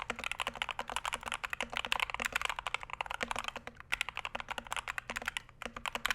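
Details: Punkston TH61 keyboard (steel plate, stiff typing) typed on: crisp quick keystrokes in uneven bursts with a faint hollow clack, no spring ping or stabilizer rattle; keyboard sounds healthy.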